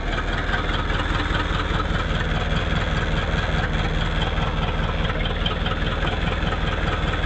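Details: 1959 Ford Thunderbird after no-start troubleshooting, suspected failing ignition resistor feeding coil: deep, even V8 idle, steady low rumble, no misses after starting; normal idle.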